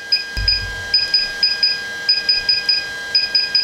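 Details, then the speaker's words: Bright high electronic beeps in short clustered groups from a DJI Phantom 4 Pro remote controller during a normal firmware update. "tart upgrade so click on start upgrade and you'll hear the beeping sound and you'll see the percentages right [Music] here"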